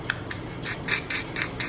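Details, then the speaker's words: Front wheel with rotors and pads replaced over a year earlier: light rhythmic scraping each wheel turn as the rusted, too-close ABS sensor bracket rubs the brake rotor's back side; customer suspected rear brakes. "this front brake right here we did them over a year ago it had new rotors and new pads there's nothing really wrong up here until you look at the back side and you see this right here that's rust build up you can see how it's smooth right there this stupid bracket is set just close enough to rub"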